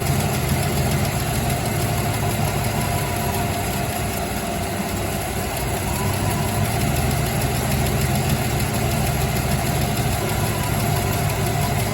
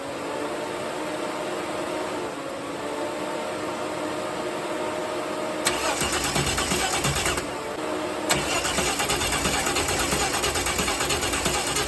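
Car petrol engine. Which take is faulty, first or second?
second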